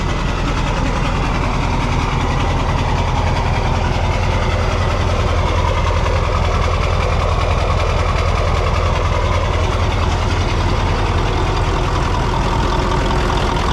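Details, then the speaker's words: Mack CL713 E9 V8 500 HP diesel: deep steady rumble with even beat, no knocks or misses; normal smooth idle. "As you can hear it, it runs pretty smooth."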